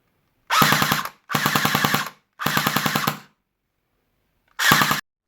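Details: J.G. MP5 SD airsoft gun after gearbox servicing and shimming and motor height adjustment, fired on the same battery as before. Four crisp bursts of rapid, even clicks with clean starts and stops. Normal cycling.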